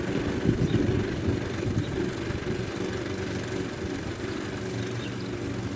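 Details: Efco LR lawn mower small engine after front axle repair, outdoors: steady even putter with no knocks or misses; healthy normal running.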